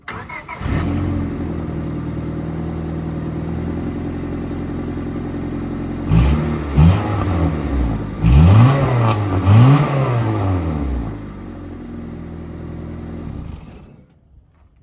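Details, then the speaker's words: 2001 Honda Civic four-cylinder swapped into 1962 Rambler American body: raspy idle with throttle blips, deep drone and crackle through a single big muffler, no catalytic converter or resonator; smoke possibly from oil left after hydrolock. "does sound too bad still kind of sounds like a Honda but there's no cat and there's no resonator there's just the one big Muffler"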